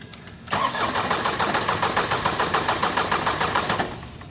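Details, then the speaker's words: Isuzu 4HL1 diesel with ECU, won't start after sitting one day: starter spins the engine at a steady churn for about three seconds, never catches. Crank no-start; suction control valve (SCV) suspected. "Lock, start. Ayan, ayaw talaga guys."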